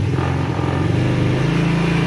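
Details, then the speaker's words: GY6 50cc scooter after carburetor adjustment, held on the brake with the enrichening valve still on: low, even, steady idle with no misses or hunting; normal healthy idle. "oh it already sounds a thousand times healthier it's idling very good now yes it's got a beautiful idle"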